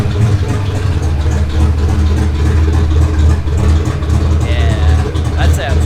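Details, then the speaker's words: Fox Body Mustang after a turbo kit install: a deep, steady idle with an even low rumble and no knocks, ticks or belt noise. The engine is running smoothly. "The belt's not winding at me. I'm happy. And it sounds crazy. It sounds insane."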